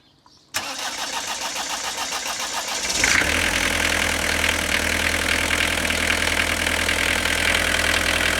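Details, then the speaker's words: 1993 Vauxhall Carlton (Opel Omega) diesel being treated for smoke, started after the glow-plug light goes out: brief crank, catches and settles into a steady, even clattery idle, normal for it; suspected blockage at the filter. "Right. Now, it normally sounds like that, but the issue I see is this."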